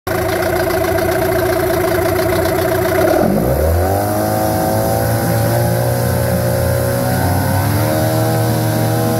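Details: 15hp Yamaha two-stroke outboard test run after a carburetor cleaning and service. A smooth, even idle rises cleanly to wide open throttle and holds steady with no misses or stumbles, so it is running normally.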